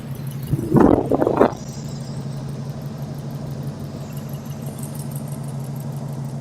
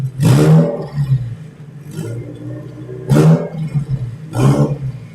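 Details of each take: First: 2002 Subaru WRX, EJ20Y with GTX3076R turbo, Link G4X, ethanol: brief rev then steady even low drone, no misses or stumbles; clean stable idle, though engine called loud and fuel pressure drops under boost, possibly regulator. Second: 2002 Bugeye Subaru WRX, JDM EJ20Y on ethanol, GTX3076R turbo, Link G4X, pulling toward 7,000 rpm under boost: loud sharp rasping chuffs over the roaring engine; a bad exhaust leak, suspected pre-turbo.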